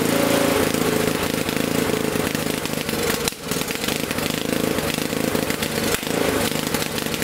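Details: Honda snowblower single-cylinder engine, nearly new but previously non-starting from a gummed carburetor, started on choke after GumBuster cleaning without removing the carb: it catches and keeps running with a steady, even putter and no stumbling.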